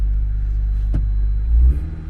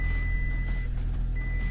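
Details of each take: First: Engine started right up and sounds good, with a deep steady rumble, clean short rev and settle, no knocks, ticks or misses; hybrid with dead-reading IMA battery, good oil. Normal running. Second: Insurance-auction car with no coolant in it, engine fighting to stay running: heavy, uneven low rumble with a faltering beat before it quits; rough running, cause unclear.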